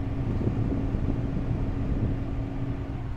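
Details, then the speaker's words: GE refrigerator with a cold freezer but warm fridge section, plugged back in after repair with panel refitted: steady low hum with a constant mid tone, no clicking or rattling; running normally, problem solved. "definitely running now that solved it"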